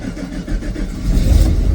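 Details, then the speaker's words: Cold Chevrolet Silverado with a petrol 350/305 throttle-body V8 and manual gearbox: a drawn-out crank with deep uneven chugging before it catches. It is hard to start, hunts at idle, backfires and misfires; a vacuum leak is suspected. "There it goes. Start it up. Took a while. It shouldn't take that long."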